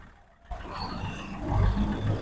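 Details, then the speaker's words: 2017 Hyundai Grand i10 Sportz CRDi three-cylinder diesel (registered 2018, 90,000 km), heard at engine-bay start-up: engine catches and settles into a low, slightly lumpy idle with some shake, typical three-cylinder vibration; normal idle. "ఇది three cylinder engine అండి ఐ10 అనేది దాని వలన engine start చేసినప్పుడు vibrate అవుతా ఉంటది ఇది. Three cylinder engine కాబట్టి వైబ్రేషన్ ఆ సౌండ్ కూడా అలాగే ఉంటుంది"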